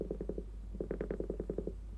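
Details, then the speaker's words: Logic3 TX101 soundbar under repair for no power: pulsing tone plays about a second and a half then cuts out; amplifier suspected not working, cause unconfirmed. "hear it and died so there is there is sound because there was something but there is a problem still like the amplifier wouldn't work"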